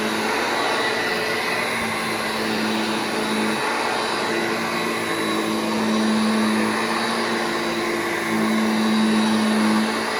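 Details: Restored vintage Hoover Junior 1334 vacuum, demonstrated after full restoration and reassembly: steady, even motor hum with clean whine, no rattles or grinding; running smoothly and healthy.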